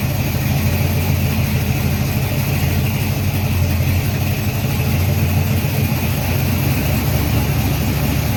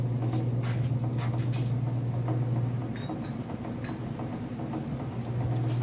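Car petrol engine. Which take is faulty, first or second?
second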